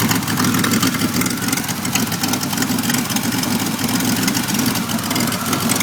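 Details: Rough, uneven idle with loping, wavering beat on a 1991 Pontiac Firebird V6 that now starts and idles but still sets trouble codes 33 and 43; cause of the rough idle not yet found.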